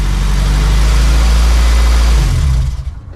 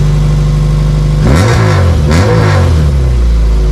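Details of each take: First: Honda CRX LSVTEC after fully welding the aftermarket muffler: smooth deep exhaust burble pulling away then fading, no rasp or buzz; raspiness attributed to the previously unwelded muffler. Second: Honda CRX LSVTEC, aftermarket muffler fitted, on driveway: two quick revs then low idle with raspy buzzy exhaust edge, deep loud tone gone; muffler not fully welded, leaking, resonator also suspected.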